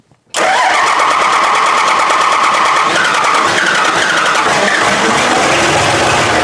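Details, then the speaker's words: Diesel truck build, first start after fitting fan, shroud, radiator: catches but runs lumpy and uneven even with plenty of throttle, putters out like running on two or three cylinders. "even with throttle it just Putters out like that sounds like it's running on two or three cylinders and it doesn't sound good at all"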